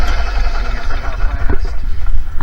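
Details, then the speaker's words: Gas Club Car DS golf cart after starter generator repair (new brushes, armature burrs removed; previously dragged hard before turning): quick spin-up with no labouring, engine catches into a steady low chug; starts perfectly every time. "you see how fast it picks up and and starts the engine. One more time. Fires up and runs perfectly every single time."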